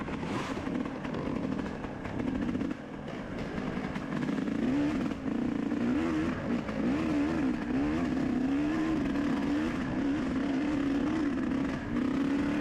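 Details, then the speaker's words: Dirt bike in a muddy race, recently fitted with a 40 pilot jet and stock 450 main jet, rider planning to change jetting: engine pulls unevenly with brief drops and stumbles, cutting out at mid-throttle, worsening through the day. "Kind of hear the bike cutting out right there at like mid-throttle, and that just got so much progressively worse throughout the day."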